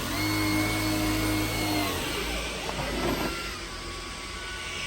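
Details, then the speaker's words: Dyson Gen5 vacuum on low-pile carpet, default auto mode: steady motor whine with brush hum that sags and dies after two seconds as strong suction stalls the brush bar. "And all of that put together, especially the suction power, not being able to spin the brush bar, is why I don't ge"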